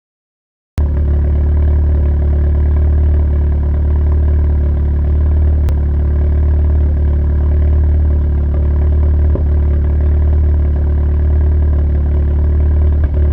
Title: Intake manifold misfire on idle